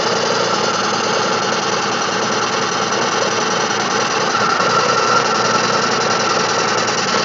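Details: Cold 2005 Chevrolet Spark 0.8 (Matiz engine) idling in rain: loose, uneven tick two or three a second under rain hiss; owner suspects unadjusted valve clatter when cold, or possibly camshaft; timing belt and rollers changed 5,000 km ago.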